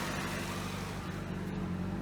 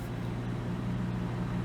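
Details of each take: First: 1988 Toyota Corolla just after fitting a new carburetor, not yet fully warm: small four-cylinder holding a fast, even idle with no stumble; idle sits noticeably high and needs adjusting. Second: 1988 Toyota Corolla idling after partially rebuilt carburetor and new sensor wiring fitted: smooth, steady low hum with even firing, no ticks or knocks; normal idle.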